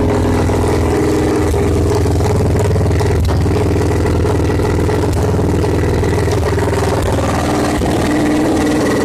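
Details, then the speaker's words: Victory V-twin motorcycle after engine swap, new blacked-out exhaust without mufflers: loud, open bark held steady and even without misfires; engine running healthy. "at least it's the point where the bike can be run and it'll be probably pretty loud we can start it if y'all want to hear it run"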